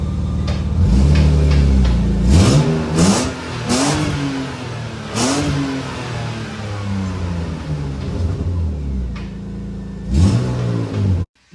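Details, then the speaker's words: BMW E36 on quick startup with rev blips. The previous owner fitted a custom exhaust, and there is a massive exhaust leak. The revs rise and fall with a raspy, uneven blat loudest on the climb. Exhaust leak. "the last owner said he did a custom exhaust and it just has a massive exhaust leak so it kind of sounds like crap"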